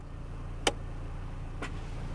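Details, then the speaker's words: 2020 Toyota Hilux Conquest 4x4 automatic in neutral at idle, shifting H2 to H4: one sharp clunk then softer knock as transfer case engages, indicator blinks until driven forward; normal transfer case engagement clunk. "I heard the clunk sound and that's blinking we're going to wait a little bit okay so it's it's blinking that means it's not engaged"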